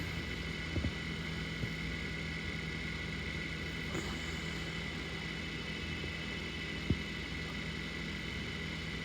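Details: KitchenAid refrigerator after replacing a bad compressor relay: compressor restarts and runs with a steady, even low hum, no clicking or stuttering; high-pressure line getting hotter, running normally.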